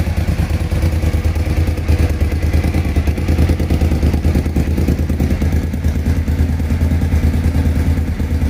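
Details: Suzuki TL1000R V-twin at idle after fixing a misfire at idle: even, lumpy idle with a steady deep beat and no dropped pulses; engine running cleanly.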